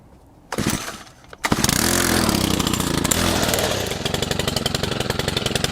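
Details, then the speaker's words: Stihl FS100 brushcutter, 4-Mix four-stroke engine run on oil-fuel mix, started completely cold, fresh fuel, wide open throttle with choke off: it catches, then splutters raggedly and dies. Owner first suspected fuel starvation or the air filter; the cause was a slack throttle cable and excessive valve clearance. "So that was wide open throttle with the choke off, and you could see it was spluttering, dying. Makes me wonder about a couple of things. Makes me wonder about fuel starvation, makes me wonder about the air filter as well."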